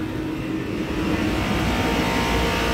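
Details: Large Copeland commercial HVAC compressor, R-410A, after clearing a seven-flash motor protector fault: steady, even roar with no clicking, knocking or rattling; running smoothly and healthy.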